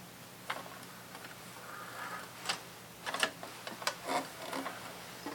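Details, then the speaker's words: Thrifted sewing machine after cleaning, with a new foot pedal and the handwheel turning slowly to raise the bobbin thread: uneven light clacks and rattles, noisier than expected. Source not identified. "Ooh, that was a little noisy. I didn't love that. Don't love that noise, but noisy doesn't mean not running."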